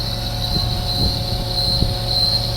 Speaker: It's supposed to make that noise? The hydraulics, yeah. Yeah? That's good. That's good? It means you got flow. That's noisy. Oh, there's a lot of pressure coming through that motor.